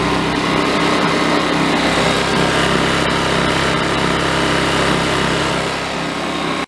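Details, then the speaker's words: Honda EU2200i generator cranked up: steady, even high buzz with no hunting, rattles or surging; normal running at high speed. "They got a CO2 thing too. Let's just crank it up."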